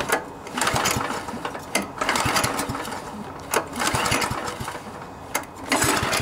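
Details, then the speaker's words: MTD Yard Machines front-tine tiller, 139cc OHV engine, won't start after storage: repeated pull-cord bursts rattle through compression without catching. Carburetor problem suspected; likely needs fuel system and carb cleaning. "nope so I'm assuming we have something wrong with the carburetor more than likely it just needs the fuel system cleaned out carburetor cleaned out new spark plug that sort of thing"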